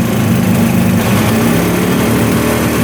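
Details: 1971 Suzuki T500 500cc two-stroke, sat 22 years, after carburetor float fix: uneven, slightly hunting idle with raspy sucking edge, consistent with an air leak at the intake manifold.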